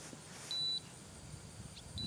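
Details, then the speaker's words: A used Electrobraid fence: the tester gives short high-pitched beeps about 1.5 s apart, picking up pulses all the way through: the fence is live. "I tested with my electric fence tester, and I'm getting a signal all the way through."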